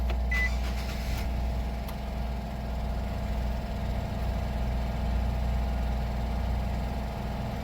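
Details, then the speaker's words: 2008 Nissan Sentra 2.0-litre four-cylinder, 144,631 miles, just started: steady, even low rumble with no knocks, misses or squeals; normal healthy idle. "now let's go ahead and start the vehicle up i'm going to shut up so you can hear the engine"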